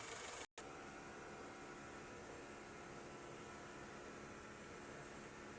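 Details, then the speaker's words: Honda Civic FB on LPG, running on gas after idle relearn (battery disconnected, throttle/brake sequence, held 2,000 rpm until radiator fan cycled twice); quiet, steady, even warm idle with no surges or stumbles, not stalling without throttle: relearn worked. "ตอนนี้ผมไม่ได้เหยียบคเร่งมันก็ไม่ได้ดับนะครับแสดงว่ารีตวิธีนี้ก็ใช้ได้เหมือนกันนะครับตอนนี้เป็นแก๊สอยู่นะ"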